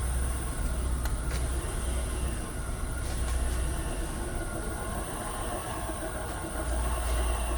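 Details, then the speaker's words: Kia/Hyundai electric car on a lift with wheels spinning, new bearings already fitted: a faint steady whine over a low rumble, getting louder as speed rises; drivetrain whine of unclear cause. "and here's a rolling sound [music] accelerated a little more the sound [music] gets louder"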